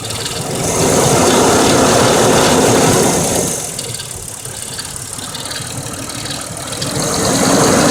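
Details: 1999 Mercedes ML320 W163 petrol, almost 200k miles, idling with fast light lifter clicking that began after an oil change (Mobil Super 3000 X1 5W40, new filter); previously only 10–15 s on cold start; audio boosted; suspected noisy lifter.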